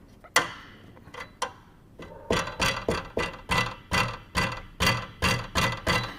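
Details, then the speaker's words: 2012 Toyota Prado 150 with 252,000 mileage: sharp metallic clacks about three a second from a loose underbody part near the transfer case and the start of the fuel tank, knocking on small bumps; the cause is unknown. "она гремит на кочках не знаю с чем связана Откуда она разболталась"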